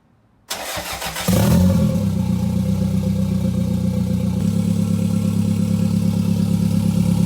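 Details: Gen5 Toyota Caldina with MR2 swap, first start with no exhaust fitted: brief cranking, then it catches and settles into a loud, steady, even idle with a deep open-pipe drone; runs normally.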